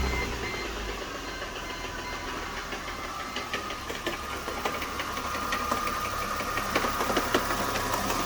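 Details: 2007 Mercedes-Benz C230, M272 2.5 V6, codes P0016/P0017, idling: quick, fairly regular metallic ticking near three a second, same cold or warm; knocking suspected from timing chain slap, cam adjusters, sprockets or chain guides.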